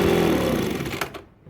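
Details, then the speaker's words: Ryobi BP42 two-stroke backpack blower with hard starting and inconsistent power runs strong, then sags and dies within a second as moving the carb opens an air leak; owner suspects air sucked between carburettor, isolator block and cylinder or a missing gasket. "so somewhere in not on this side between the cover and the carb but between the carb the isolator block and the the cylinder it's sucking air or it's missing a gasket or something something's going on"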